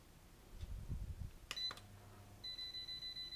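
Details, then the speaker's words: ERGO FS 1677 fan before repair: motor jerks and stops as speed is raised, then a steady string of high beeps about three per second; control board cutting out, later traced to a failed capacitor; fan shutdown from failed capacitor. "на первой скорости он еще как-то работает я включаю и он он дернулся и и начал пикать ну хозяин говорил что он маленькой скорости на 1 еще крутится начинаешь добавлять он вот он остановился"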